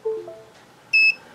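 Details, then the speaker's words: EZUHF 500mW TX "can" module, switched to low power with button held while plugging in USB, gives steady beeps: bind mode, wrong for a firmware update, which needs the switch on high. "and you'll hear steady beeps like that which is wrong that's M mode we want to upgrade the firmware so that's the wrong mode to be in"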